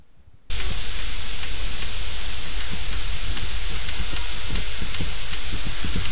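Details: Toshiba 50HP86 plasma TV flashes, with a steady hiss and faint regular ticks about three per second from the Y-sustain board 6870QYC004D. The cause is a faulty YPPD-J016E power module with a holed IGBT Q4, fixed by replacing the IGBT.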